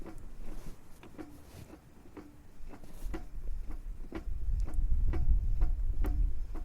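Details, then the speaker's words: Front-wheel-drive car jacked up, drive shaft rocked by hand: sharp metallic clunks about three a second from gearbox, play in differential, not clutch disc; small but will worsen. "слышим стуки стуки конкретно можно даже укол вот я слышу стук и прямо с коробки это не диск сцепления"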